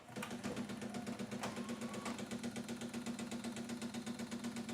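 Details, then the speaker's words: Pioneer CLD-909 LaserDisc player on power-up and eject: rapid steady mechanical chatter about four per second with a buzzing tone underneath; display live, tray doesn't properly eject, laser sled grinding on its drive. "Obviously there is power going to the unit, but it's making some pretty unpleasant noises. Obviously there's a mechanical problem, the tray doesn't properly eject."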